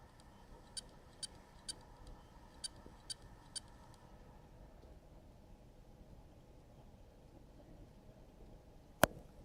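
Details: WD Green hard drive spins up normally but is not detected by the computer. It gives bursts of three short high beeps over a faint hum, then stops beeping and spinning after about 30 seconds. Owner is unsure whether the fault is mechanical (head stuck on platter) or the circuit board.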